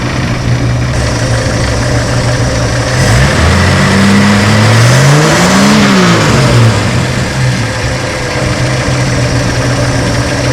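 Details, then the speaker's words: 1963 Ford Falcon Futura running for its first drive in 18 years, with notable blow-by and the generator charging 12.4 V. A lumpy, galloping idle with a regular stumble that smooths slightly on a blip: one cylinder misfiring at idle. "I'm sure y'all can hear that Miss that's going on inside there it's got a little Gallop to it"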